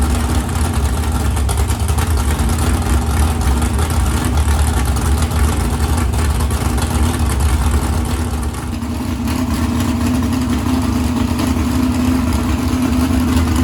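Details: 769hp 409ci Ford 351 Cleveland on engine run stand, after starter grinding fixed: steady, even low rumble with a slight settle partway, no knocks or grinding; running cleanly.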